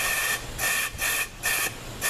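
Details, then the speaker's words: ZF 5HP24 transmission with no reverse when hot, C clutch air-checked with the old worn bushings. Short sharp bursts of hiss with no firm engagement show air bleeding past the bushings; almost a full trigger press is needed to apply the clutch. "You hear all the air leaking? Okay, the air's kind of just bypassing."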